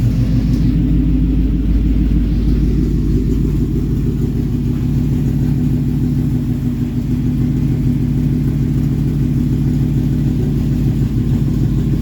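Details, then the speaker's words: Ford Mach 1 with Coyote V8 (listed as 2004), first run after the engine sat over two years: deep, even V8 burble with light throttle blips, no knocks or ticks; normal running. "it's exciting to hear it run for the first time and engine hadn't running over two years maybe longer than that"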